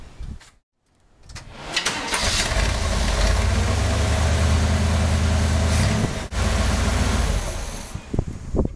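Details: 1969 Corvette with a 350 Chevy V8 and Rochester carburetor, after the fuel-air mixture was adjusted to 750 rpm idle. It catches after a short crank, settles into an even, low idle with no misses, then shuts off. A normal start and idle.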